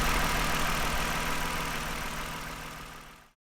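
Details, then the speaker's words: 2009 Toyota Highlander, 276,480 miles, cylinder 2 misfire cleared after swapping coils, road test pending to see if it returns; even steady idle, no stumble or skipped beats, fading out; normal idle, running smooth. "But for now, I don't know. It's running pretty smooth."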